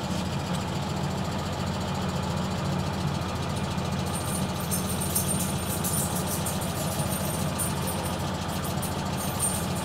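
Idling engine with a faint, rapid clicking underneath the low rumble, cause not clear from the sound alone.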